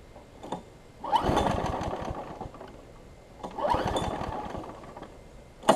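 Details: Craftsman 6 hp big-wheel front-drive self-propelled mower: catches in sputtering bursts about every two and a half seconds, then dies back, running really rich; owner suspects carburetor, spark plug or flywheel key.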